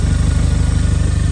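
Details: Audi A1 1.4 TFSI (CAXA engine) after an oil, air, fuel and cabin filter service and new spark plugs: first start-up after the fuel filter change, with an even, quick idle and no misses or hunting; it runs smoothly.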